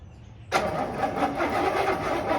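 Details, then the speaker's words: 1969 Buick Skylark, off road since 1985-86, once flooded, cold day, fuel dribbled into carb bowl vent and carb; starter churns steadily for two seconds with no firing or sputter at all; cranks but no start, coil power and choke next suspects. "that was pretty undramatic nothing not a sputter"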